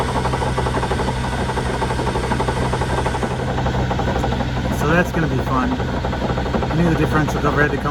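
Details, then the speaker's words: 2001 Chevy Suburban after a loud pop and jerk at 70 mph: steady rough grinding growl from the rear axle, constant with road speed; broken limited-slip rear differential internals. "It's clearly coming from the side. Sounds like it's coming out of the differential."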